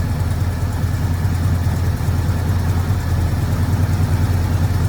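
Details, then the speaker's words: 1973 Ford Gran Torino Sport with 351 Cleveland V8, sitting 35 years, running on fuel sprayed into the carburetor without a fuel pump while leaking fuel; deep, steady V8 idle burble with no ticking or misses; engine runs smoothly. "Wow, that thing runs really good."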